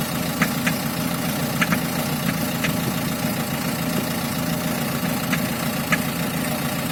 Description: Странный звук дизелька